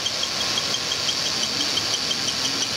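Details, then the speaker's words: 2002 Ford Taurus at quiet idle, being diagnosed for a cylinder 1 misfire (P0301, weak ignition coil). A thin, high chirp repeats several times a second from the cam sensor/synchronizer, which will need replacing. "can hear the little cam sensor chirp on this engine too we're going to need a distributor for sure"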